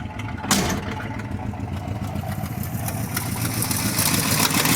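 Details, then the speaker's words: 1964 Ford F100 pickup, warm, tired and hard to start, oil in poor condition: uneven idle with irregular puffs and stumbling beat about three or four a second; exhaust leaks, possibly at heads, plus misfire. "we've got an exhaust leak here [Music] and a big one there probably one down there maybe at the heads i don't know it's definitely not happy now"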